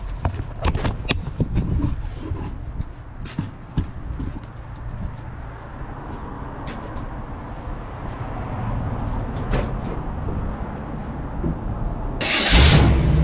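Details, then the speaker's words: 1968 Chevy Suburban 396 big-block V8 with the distributor just reinstalled, idling lumpy with one soft pulse each cycle. Owner thinks it is a weak cylinder, possibly low compression, rather than a miss, and plans to check with a vacuum gauge. "And when I'm going to do it, this sounds funny, like it's got a dead cylinder. I don't think it's a miss, but like a weak cylinder, might be low on compression."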